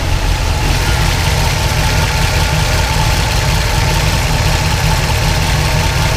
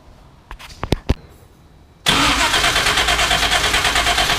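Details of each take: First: 1976 Pontiac Trans Am twin-turbo big block with solid roller cam on Microsquirt, after fixing 2000 rpm idle: smooth steady idle, even beat, no hunting, surging or misfire; idling much better. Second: 1976 Pontiac Trans Am, twin-turbo with Microsquirt and four-speed, starting after a few clicks and holding a fast idle near 2000 rpm. Timing read 43° and was set to 20°, yet it still idles fast; cause unknown.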